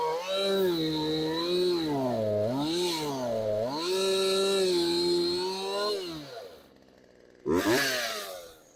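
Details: Craftsman chainsaw that sat outside for years, warmed up after repair and idle adjustment: clean revs rise and fall smoothly, then drop back to a crisp, strong idle. Normal running.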